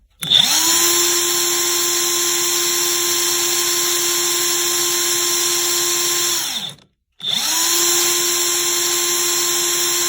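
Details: Craftsman CMCF940 heavy impact wrench (built 2023 week 14) after repair: displaced, off-centre bushing hammered back into line, old T-shaft refitted with a little grease; steady high free-spin whirr, no grinding or rattle, gearbox stays ~23°C after tens of seconds versus 80°C+ before; normal.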